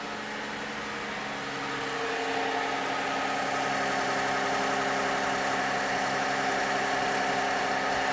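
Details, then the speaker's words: 2007 Toyota Avalon, 281,000 miles, cold start after sitting, condemned by two mechanics for a suspected stretched timing chain: smooth, quiet, steady cold idle with no ticking, rattle or grinding, no VVT-i gear noise at startup. "actually it's extremely quiet this is a cold London right now it's been sitting here for a while sounds perfectly healthy no ticking no noises no grinds"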